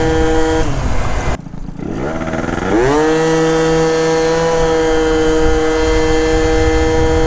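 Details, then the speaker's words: 70cc Yamaha Zuma prebug scooter (Minarelli) with a new Stage 6 Sport Pro variator and stiffer springs, riding in wind: engine note climbs then holds steady as speed builds; variator opens slower, holding revs down; normal CVT shifting. "definitely holding the RPMs down a little bit it's opening a lot slower you can hear how it's shifting"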